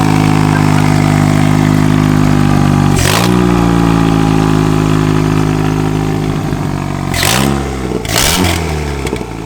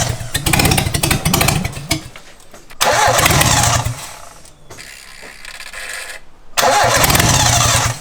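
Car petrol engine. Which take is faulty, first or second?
second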